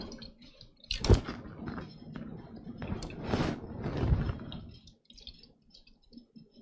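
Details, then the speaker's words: AMD gaming PC with AIO liquid cooler: quiet, irregular gurgling and sloshing from the pump, sounds almost empty; suspected low fluid or air in loop, viewers suggest broken impeller pieces or clog. "It almost sounds empty. Interesting."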